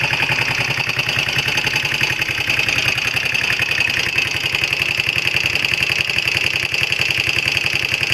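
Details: Honda XL125R: steady single-cylinder idle at about 3-4 beats a second with a sharp, high metallic chatter on top; abnormal engine noise at idle, cause unclear.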